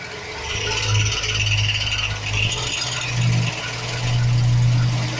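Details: 2007 Chevy Express 1500, 4.3 V6, idling. Uneven metallic rattle coming and going low near the bellhousing, from a bad starter motor's gear bumping against the flexplate (flywheel).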